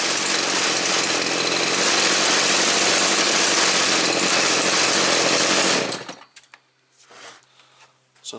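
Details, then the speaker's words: Stihl 029 chainsaw after a fuel and oil tank leak repair: the first sealant held on the oil tank but failed on the fuel tank, and a different product fixed it. Now no leaks, some compression, cuts and idles well. Loud, steady two-stroke buzz, then a clean cutoff. "Cuts really good. Runs good, idles good."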